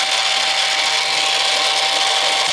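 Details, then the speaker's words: Green stripe American Changer coin hopper on the bench after a dollar is inserted: steady, even motor whir at one pitch with no knocking or grinding; runs continuously because no coins pass the sensor board. "it'll run forever because there's no coins going through the sensor board"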